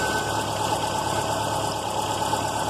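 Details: Subaru Outback EJ engine that ran low on oil, on 5W-30: steady engine note with a hard, regular knock that sharpens with revs, clunk near 2,500 rpm; filmed as rod knock, though one listener suspects the timing tensioner.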